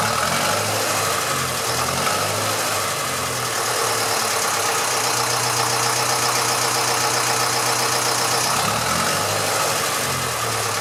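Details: Massey Ferguson 35 (835) tractor with Standard 23C diesel, first run in at least a year: even, lazy idle with a low steady beat and some hiss on top. It is settling in nicely, with some blow-by expected for its age.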